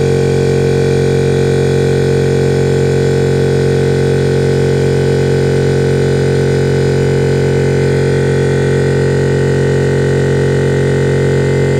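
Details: Air compressor fitted with a new SSR soft start, charging the tank: steady, even droning hum of constant pitch, no knocks or surging; filling normally.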